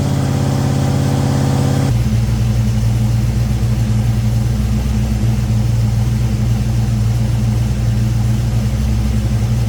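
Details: Ford Thunderbird Town Landau after a 460 V8 swap with custom motor mounts and C6 transmission: deep, steady burble at idle, oil pressure good, no knocks or ticks.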